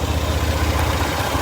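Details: Idling Toyota engine with a fast, steady low knock and rattling tap under the exhaust, suggesting a bottom-end rod knock; cause suspected, not confirmed.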